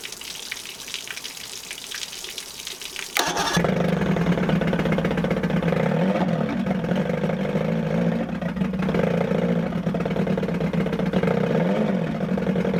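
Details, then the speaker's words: 1978 Evinrude 115hp outboard on muffs after water pump replacement: fires up, runs unevenly, surging and stumbling as if fighting itself; owner suspects timing off, later set pickup timing to 5° BTDC and replaced plugs. "almost sounds like the timings off and so it runs but it's almost like it's fighting [Music] itself"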